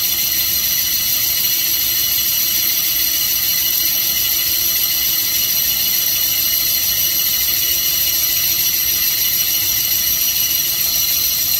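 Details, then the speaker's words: 360 Mopar small-block boring with bores straight up and down to the main bore: steady high-pitched cutting hiss and whine, constant with no chatter or surging; cutting pretty even, centered at the apex. "The holes will be straight up and down to the main bore. You can hear that, it's cutting pretty even."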